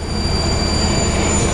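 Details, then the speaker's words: Porsche 997.2 Turbo with AMS Alpha intercooler kit, intake boost-leak test at about 20 psi dropping roughly one psi per three seconds; two steady high whistles over low rumble, suspected leak at a PCV-like valve behind the diverter valve, unconfirmed. "behind this uh blow off valve or diverter valve there is it's something that looks like a pcv valve for me to me it looks like a pc valve there's a big pipe that goes into it it seems like it's leaking in there a little bit"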